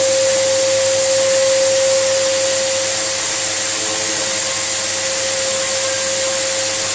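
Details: Samsung SU3364 upright 1800 watt vacuum: loud steady motor roar with sharp constant whistle; airway completely clogged, forcing pressure out elsewhere as an apparent air leak.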